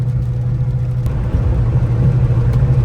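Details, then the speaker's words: Fox Body Ford Mustang while driving, after driveshaft repair (rear-end bolts had been only hand-tight, previously rattling shifter): deep even road rumble and steady engine drone with no rattle or shake; smooth driveline. "This thing sounds a ton better."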